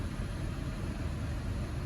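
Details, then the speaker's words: 2013 Honda Civic after fixing rough idle/stalling caused by a cracked air boot, throttle plate cleaned and treatment run: smooth, steady idle with no misses, raised idle slowly coming down; normal idle. "all right it's coming down so I'm gonna let her run for a couple of more minutes and that should be it"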